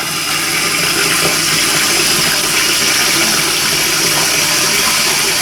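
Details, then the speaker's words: Toilet cistern after replacing float valve diaphragm washer: steady rush of water refilling after flush, no whistle, hum or hammering; quiet normal refill after repair. "There you go, no noise at all. All you can hear is the water filling up."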